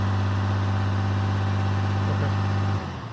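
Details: 2012 RAM diesel, VGT turbo (HE351) rebuilt, at about 2000 rpm with the exhaust brake on: steady heavy drone under brake load, then drops off cleanly; healthy.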